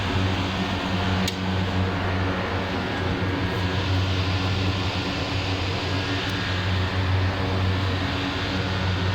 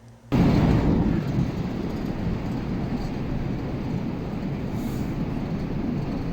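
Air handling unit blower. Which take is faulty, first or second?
second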